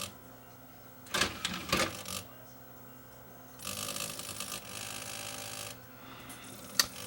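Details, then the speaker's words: Denon CD recorder, neither side reported working: sharp clicks and bursts of harsh grinding while trying to read the table of contents; suspected broken or slipping drive belt, not confirmed. "definitely does not sound healthy what about the other side well that sounds like it could be a belt that's broken on one side maybe the other side's got a belt that's slipping"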